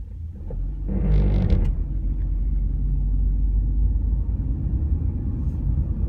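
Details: 2004 Honda Civic Hybrid accelerating from a stop: a heavy, low, uneven shuddering rumble from CVT start clutch judder and transmission belt slip. The known fix is a dealer or DIY start clutch procedure, but the slip tends to return.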